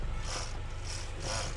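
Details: 2021 Hyundai i20, engine running, steering column covers removed: low engine rumble with short raspy hiss-like bursts about twice a second while turning; noisy, weak electric power steering motor causing grinding noise.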